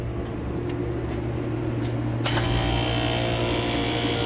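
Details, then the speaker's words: Rooftop HVAC unit, second compressor started after first found down: steady hum then harsh rough rattle once compressor kicks on; sounds worn out, on its way out, not confirmed. "that compressor is on its way out too. Sounds like junk."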